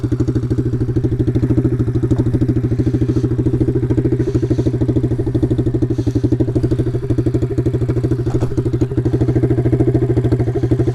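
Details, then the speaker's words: Taotao DB17 125 pit bike: loud, raw, unmuffled single-cylinder popping at a steady fast beat. The exhaust pipe had come off, leaving it effectively straight-piped; it was then refitted. "oh yeah that sounds bad oh huh that's probably why yeah i don't know if you can see this we kind of just straight piped our bike"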